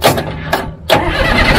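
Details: Caterpillar logging machine diesel: several short cranking bursts, then it catches and settles into a steady, even run after a sparking ground was moved to another ground point (suspected loose connection); starts normally, some fuel smoke.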